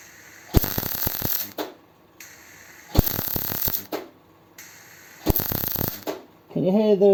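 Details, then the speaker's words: MIG welding a donor-car patch on a 100E Anglia: three evenly paced one-second crisp frying bursts, each starting with a brief sputter, with an optimum time between bursts; normal MIG welding. "Can you also hear that there's an optimum time between the bursts?"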